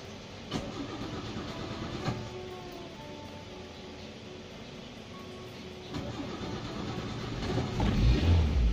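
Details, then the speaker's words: Car that won't start on one crank, started with several short cranking attempts (2–3 times) rather than forcing one long crank, which would strain the battery and heat the cables: short cranking bursts with pauses, no catch at first; hard starting, cause not pinned down. "ya sekarang bila ini tidak bisa distarter sekaligus karena lebih tak paksakan untuk hidup sekaligus net adalah akan cepat merusak daripada aki"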